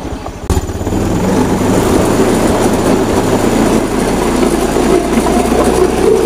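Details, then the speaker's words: Honda Beat FI scooter that stumbled on throttle, with fuel pressure at normal 40 PSI: steady even engine run, constant rumble, no misses, stumbles or knocks; normal running. "OK, let's try turning it on , friends, so that it runs normally, friends."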